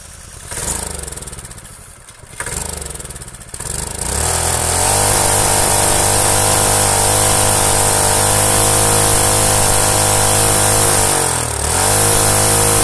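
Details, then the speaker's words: Predator small engine, previously seized, running with head gasket removed for raised compression: few pulls and sputters, catches around four seconds, settles into smooth steady run; sounds more fluid, no deck leak seen. "that's impressive not only does that run perfectly but it sounds just that much fluidier with with that much extra compression"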